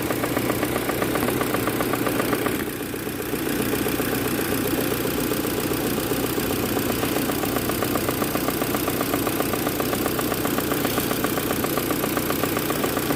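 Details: Proton Campro engine with faulty intake manifold flap (AIFM), fix is manifold adjuster kit replacement; uneven rough idle with rattly pulse about four per second; causes power loss and high fuel use.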